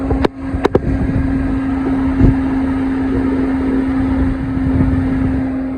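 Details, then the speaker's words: 2012 Range Rover Evoque electric cooling fan hums steadily with the engine off, running until the battery dies, because the cooling fan control module has failed; it comes on whenever any power reaches the car. "And of course, the fan is back here turning. It won't stop turning until it kills the battery. So it'll go on all day, all night until the battery is dead."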